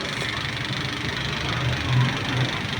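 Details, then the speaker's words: Mitsubishi diesel whose timing belt snapped, running after the timing was reset: a lumpy, uneven idle as cylinder 3 drops out; misfire from broken rocker arms. "तो गाड़ी जो है हैं handing कर रहा था यानी कि मिस फर कर रहा था एक पिस्टन इसका काम नहीं कर रहा था"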